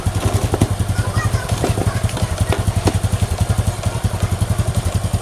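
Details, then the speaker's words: Honda Supra X 125 motorcycle after rebuild of block and piston, new engine still tight so idle raised slightly: steady even single-cylinder thump under three beats a second, earlier rough ticking gone; normal idle. "Oke Guys Inilah hasilnya guys yang seperti kami bilang kemarin itu bahwa setang sehernya itu tidak bunyi meskipun setang seernya itu masih sekitar e 70% lagi guys"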